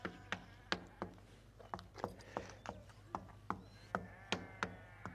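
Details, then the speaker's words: Moroccan tourist lodging building, tapping on the mason's render (martob) coating; sharp taps about twice a second, several ringing dull and drummy hollow, meaning the render isn't bonded to the wall there: hollow-sounding render. "Là, par exemple, tu vois, en fait, il y a des endroits où ça sonne creux. Tu vois, là, Ça là, ce que tu entends, ça veut dire que le martob, l'enduit, il tient pas."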